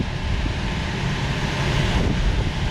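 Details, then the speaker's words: Rooftop HVAC unit on a no-cooling call with blower contactor pulled in and belt present: steady even low rush of moving air with no squeal, slap or rattle; belt-driven blower running normally. "we've got air moving. It was just quiet. Well, that's good. One thing works. Got a working blower."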